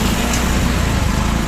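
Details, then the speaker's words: BS6 motorcycle idling in cold weather; the idle air control valve holding idle makes an audible tick-tick ticking, while the engine itself hums smoothly and steadily with no knocks or rattles. Normal idle. "देखिए इसकी आवाज़ दे रही है, ये टिक टिक ticking मार रही है ना, साउंड आप सुन सकते हैं, ये आइडियल में दे रही है।"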